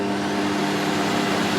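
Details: Refurbished vintage Electrolux 4x4 vacuum cleaner with new filters and bag fitted, boost setting on max: even motor hum, steady whine and airflow rush, no rattles, grinding or speed changes; a slight smell noted, but it runs smoothly.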